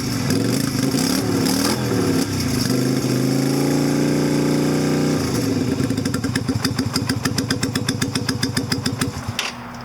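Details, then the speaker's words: 2000 Yamaha Virago 250 (XV250), cold around 40°F, with cut slide spring, drilled slide diaphragm and washer on needle: revs hang and drift slowly to an uneven popping idle, dies on throttle; owner blames the drilled diaphragm hole. "It takes forever to get back down to idle. And I don't know if you can hear it, but anytime I give it throttle, it dies. So I think that drilling the hole in the diaphragm is causing that."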